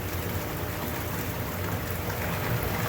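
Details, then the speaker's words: American Standard 2425 L/V RHO whirlpool tub, freshly installed and filled, jets running with the heater on: steady rushing water over an even pump hum with no knocks, rattles or squeals. Normal whirlpool jet operation. "So anyway, we got some water in here. Let's give her a go. That sounds pretty good."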